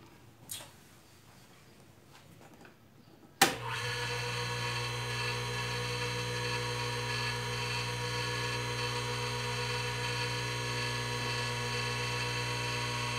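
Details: Industrial sewing machine motor after replacing the noisy 6203 bearings: it spins up at once to a smooth, steady hum with no rumble or grind.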